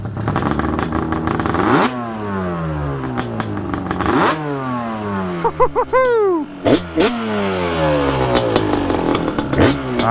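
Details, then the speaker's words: Freshly rebuilt 1992 Yamaha Banshee two-stroke twin: crisp, clean revs that rise and fall freely with no missing or rattle underneath. Running normally and healthy. "Oh, dude, it just sounds so good."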